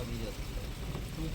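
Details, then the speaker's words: Maruti Suzuki Ertiga petrol engine with aftermarket CNG, at idle: a lumpy, uneven, loping idle running on cylinders 3 and 4 only, with 1 and 2 dead; reconnecting the ignition coil sockets changes nothing. "Socket लगाने के बाद भी same Mising कोई फर्क नहीं पड़ रहा है मतलब एक और दो नंबर बिल्कुल बंद ही हालत में है तीन और चार पे ही बिल्कुल चल रहा है इंजन"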